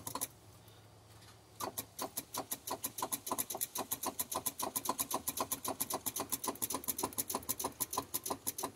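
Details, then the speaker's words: Volvo VNL truck with Cummins ISX, battery voltage present, won't start: after a pause, rapid even clicking of about five or six per second from the starter solenoid near the driver's foot, no cranking; owner believes the starter needs replacing. "I can hear that starter solenoid down there bumping by my foot sound like yeah she ain't want to do"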